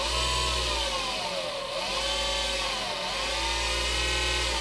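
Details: Motor from a dead power supply under repair, driven unloaded by a function generator simulating the PWM chip at about 50% duty: steady whine dipping and swooping in pitch as speed changes, never cutting out; drive working normally.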